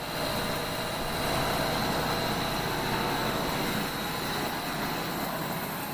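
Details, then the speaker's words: Refurbished Hobart 5801 commercial meat and bone band saw with a new blade, 3-phase, running through a phase converter: steady even motor hum with light blade hiss, no knocks or rubbing. The saw runs normally. "it is to a weight ball three-phase so we have it plugged into our three phase converter you're going to hear that humming in a minute I'm going to turn it on to show you how smoothly the saw runs"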